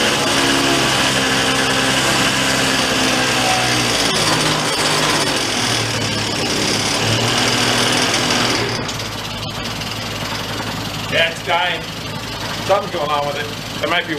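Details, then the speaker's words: 2004 Yamaha Vino 50cc two-stroke scooter revived after years in a barn: at full throttle it buzzes strongly for about eight seconds, then sags and sputters out. The owner suspects fuel starvation and sets out to check fuel flow from the carb. "or that's full throttle and then till it dies let's go see if there's any gas coming out of that carb or how much gas comes out of it"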